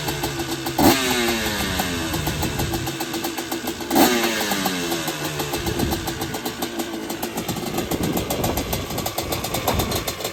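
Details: Honda TRX250R with a freshly finished Sparks Racing 265 two-stroke build: crackles to life, two sharp rev blips, then a crisp, steady idle. The fresh engine sounds healthy.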